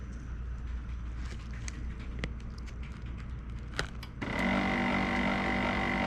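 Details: HP LaserJet P1102 with a noisy printing fault; a few light clicks, then a motor starts with a steady whir and raspy buzz, louder than the printer should run.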